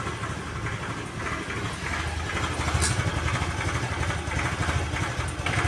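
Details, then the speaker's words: Honda Vario 110 carburetor scooter, warm idle: uneven limping beat that swells and fades, nearly stalling, revs rising by themselves after throttle release; sluggish pickup, dies when center stand lowered; carburetor suspected, not confirmed. "Ya, seperti pincang ya, Teman-teman. Coba perhatikan suaranya. Nah, itu hampir mati."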